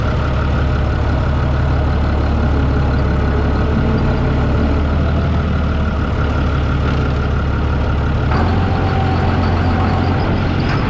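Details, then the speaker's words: New Holland TB120 diesel tractor being driven after refitting the rebuilt, retimed injection pump: deep, steady drone with an even beat and no misses or knocks; healthy running. "well there you have it sounds good we go hook it up to 10-foot bouche all gear and go work it a little bit and see how it does"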